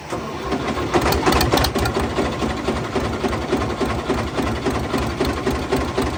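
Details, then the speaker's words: Fiat 450 Special diesel tractor on a very cold day, run after working ATF out of cylinders and sump: heavy uneven metallic banging about three to four blows a second over rough running; later flywheel spins without the internals, crank suspected snapped. "right everybody if you haven't worked it out yet from the noises this tractor is rooted uh definitely something not right and since we made the video and it ran and it made all that awful noise"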